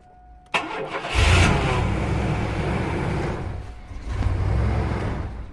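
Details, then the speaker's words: Chevy Astro van jump-started with an AUTOONE 4000A portable jump starter reading 16 volts. A short crank, then the engine catches, runs roughly for seconds and sags away, not staying running. Cause suspected, not confirmed. Starts then stalls. "This jumper literally has the cranking power to crank it few times. Right now the issue, the van is not staying on, but listen to it."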